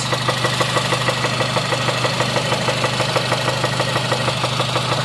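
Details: 2006 Honda Civic Si with 122k miles idling with a sharp, even knock about three times a second locked to engine speed, coming from inside the motor; rod knock suspected, valves doubted, not confirmed.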